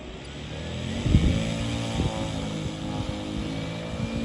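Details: CY Models 100" Cessna Bird Dog RC plane with electric conversion on a 10S battery, taxi test at part throttle; smooth, even motor hum with no rough spots or grinding. It runs normally.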